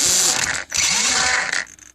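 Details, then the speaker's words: Vaterra Twin Hammers RC truck after a shifter fix with a rod end and a 12mm 3mm screw. A quick whirring gear rush settles to near quiet; the shift servo now has almost no buzz, with slight buzz in high gear. "so almost no servo noise, which is I was going for none. Very little's close enough for me."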